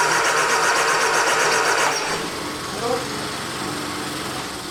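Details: 1979 Triumph Spitfire, sat about 20 years, starter churns about four beats a second for two seconds without catching; fuel suspected not getting through, needle and seat suspected stuck, not confirmed.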